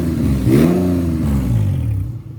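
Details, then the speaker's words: J35 V6 sandrail with 3 bad injectors found, fuel still very old, no coolant in the engine. Revs up cleanly and settles with a smooth, even exhaust note; now running on all 6 cylinders. "Oh, much better. Sounds like she's running on all 6."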